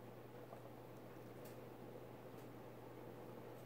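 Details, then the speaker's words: Emerson 1895 Series 52-inch ceiling fan, model CF4352PB04, KB-55 stack motor, mid-to-late 1980s, on high speed: a low, steady electrical hum under soft air noise, more than expected for a stack motor. Motor hum. "this fin does make a bit more motor hum than my old one did which is weird because this is a stack motor and stack motors typically don't make that"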